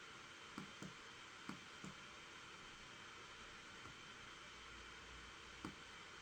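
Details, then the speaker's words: Asus Strix laptop, i7 7th gen CPU with GTX 1060, under CPU stress test while graphics driver installs, CPU at 100% and up to 85°C, about 93 W at the wall; steady airy fan rush with faint whistle, no rattle; fans at full speed under load. "Okay, that's the graphics driver being installed. The fans have kicked in some more."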